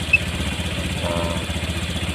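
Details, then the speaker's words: Honda Vario 150 fuel-injected scooter after throttle body service and reset, idle set around 1600 rpm (too low idle can raise fuel use, hurt battery charging): quick, even putter at slightly raised idle, no misses or knocks; normal idle. "di sini saya melakukan penyetelan RPM di 1600-an karena eah di motor injeksi ini kalau rpm-nya terlalu rendah E itu bisa menyebabkan eh e bensinnya malah lebih boros"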